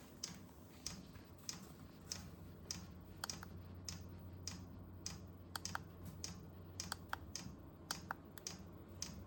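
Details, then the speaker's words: Vevor 8 kW Chinese diesel heater on its first test run at startup: sharp, light dosing-pump ticks about every half second, some doubled, over a low fan hum as it lights. Steady clicking, likely air in the fuel line, fan picking up. Normal fuel pump ticking. "A pretty steady click out of there now. There's a lot of air in that line, right? Fan's picking up."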